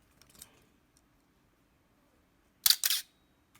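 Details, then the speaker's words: Canon A-1 35mm film camera with the known shutter squeak, after oil drops on the mechanism, fired at 1/15 s: single shutter firing with a thin high squeal on the release; shutter squeak persists. "still squeaking 15th of a second still squeaking okay so one last try and then give up"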